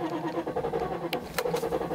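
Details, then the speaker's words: Mercedes S500 W140 with strong rotten-egg sulfur smell, owner suspects failing catalytic converter: starter cranks steadily in quick regular pulses without firing; owner suspects no fuel, it then starts briefly and dies. "I'm going to feather it a bit it just seems like it ain't getting fuel"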